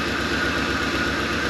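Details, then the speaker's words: 1983 Ford Thunderbird Turbo Coupe, 2.3 L turbo, first run after 20 years sitting. Idle has an uneven low thump with skipped beats over a steady drone; one cylinder misfires. "it is freaking off today this one's not too happy it usually almost might be missing a little bit that one's not hitting"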